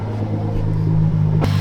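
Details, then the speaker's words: Nissan idling just after start-up with the clutch in, after a brand-new sensor was installed on the driver's side and the misfire code was cleared: smooth, steady low rumble with no skips, so no misfire heard. "But it doesn't sound like there's a misfire happening. At least not to my knowledge anyways."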